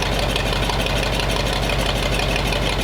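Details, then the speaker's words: Rough idle with a jingling tick about twice a second from a hose clamp rubbing on the crank pulley; owner suspects timing is off, and the advance is not hooked up. "Not real happy. I think the timing's not quite right on it."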